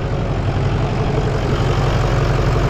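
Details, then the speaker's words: Truck with a 6.0 L diesel and two batteries, idling just after a portable jump-starter start: deep, steady low rumble with an even beat and no stumbles; a healthy, smooth diesel idle. "a little jump starter came in handy oh there you have it jump starter top Dawn comes in handy even for a diesel 60"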